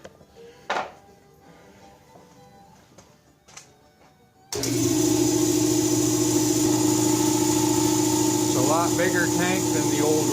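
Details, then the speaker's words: Beverly's Hillbilly 32 air compressor, rusted leaking tank replaced with a larger one, test run on 220 volts; motor kicks in with a steady even hum and pump drone, pressure rising, slower to fill. Normal compressor run. "it will take longer to build pressure but volume is a good thing the pressure is rising"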